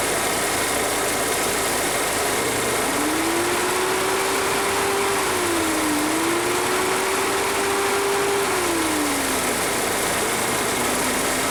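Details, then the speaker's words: VW Passat 1.8T that overheats despite new thermostat and water pump, radiator fan powered directly by paper clip on its connector terminals: steady whooshing hum and smooth whine shifting between high and low speed; fan works normally on both speeds. "I think you could probably hear that especially on high speed that's high speed there that's low speed it is working on both of those"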